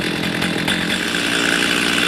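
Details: Stihl MS310 chainsaw that got hot and stalled, after ignition repair: warm, idling 10-15 minutes, steady even buzzing with no surging or dying; normal idle.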